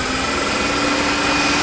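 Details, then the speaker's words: 1995 Cadillac Deville 4.9L after coolant loss/overheating, cooling system cleaned up and refilled, first restart: smooth, even idle with a steady faint accessory hum and no belt squeak or squeal; engine sounds healthy. "there we go see this and the belt's not even squeaking so i'll let this run for a little bit and then we'll check it"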